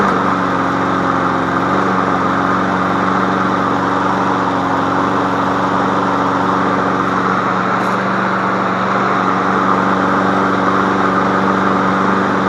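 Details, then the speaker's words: Free MTD Yard Machine push mower, auto choke, only oil change, new air filter, sharpened blade, running on old gas: steady, even single-cylinder buzz at constant speed, no stumbles or knocks; normal running. "there's nothing really wrong with it I'll start it up for you guys here that's an auto choke"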